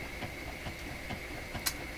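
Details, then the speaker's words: Electrohome Chippendale console Webster record player, intermediate idler wheel with a newly glued rubber surface: a soft, steady thump four to five times a second over the hum. The suspected cause is the glued belt joint or a hard glue spot. "Boy, oh boy, listen to the thump. I'm also concerned that the glue I used, anywhere I put it on a little bit heavy, has formed a hard spot. And that's what we may be hearing."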